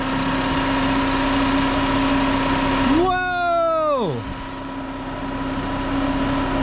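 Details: 2006 Chrysler PT Cruiser, 2.4 engine, heard through a mechanic's stethoscope on the alternator: a steady high whine over the idle that sweeps down as the engine shuts off; worn alternator bearing, linked to an intermittent check engine light.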